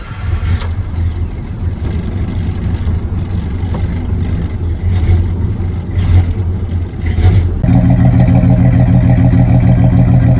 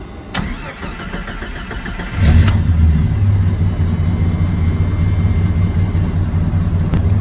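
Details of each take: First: Jeep Comanche 4.0L RENIX, cold morning start after idle fix (target idle set, then IAC pulled): uneven hunting idle for several seconds before settling smoother. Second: Jeep Comanche 4.0L RENIX petrol six restarted after idle fix (target idle set, IAC sensor unplugged, then driven): fires up and settles into a steady, even, low idle; best it has ever idled.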